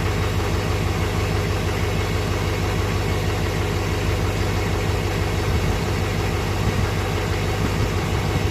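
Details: 2006 Chevy Silverado LBZ Duramax diesel with DSP5 switch and tune, original 3.5-in exhaust before 5-in swap, cold start after overnight in the 20s °F (upper 50s now): deep steady clatter at cold idle, even, no knocks or misses; normal.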